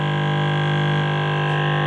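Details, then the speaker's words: Amplifier/home theater with input wires connected but green ground wire left unconnected; loud steady mains hum from the speaker rises as volume is turned up, nothing touching. "जो हमारा हरा वाला है वो ग्राउंड का है, इसे मैंने ऐसे ही छोड़ दिया, ठीक है। अब देख सकते हैं यहाँ पे, मैं यहाँ पे जैसी वॉल्यूम तेज करता हूँ आपको हमिंग सुनाई दे रही होगी।"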